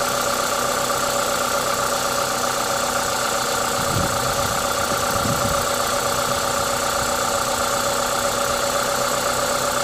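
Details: Toyota 2ZZ-GE four-cylinder at a normal idle, smooth and steady; the constant airy hiss comes from an induction kit; no knocks or misses, healthy engine.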